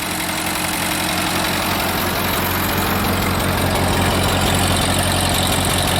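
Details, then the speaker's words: Ford 8N tractor first started after sitting for years, carb cleaner sprayed in: steady idle with busy even ticking valve clatter about three to four taps a second; suspected lack of oil flow, dirt from sitting, or a burnt valve. "it's got some red valve platter probably because it hasn't had oil flowing through it in years"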